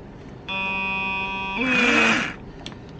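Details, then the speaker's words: Used Makita 18 V cordless rotary hammer that lit up but wouldn't run, after magnets were reglued: steady buzzing hum with thin whine, then rougher rush; motor hums as field builds, owner suspects leftover old glue under the magnets vibrating; no brush sparking. "Тут понял я, да, что оно мычит вот это. Получается, мычит,"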